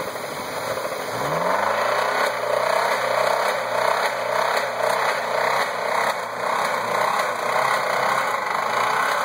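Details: Chevy Cavalier engine catching and settling to rough idle with a dull uneven knock tapping through it; rod knock.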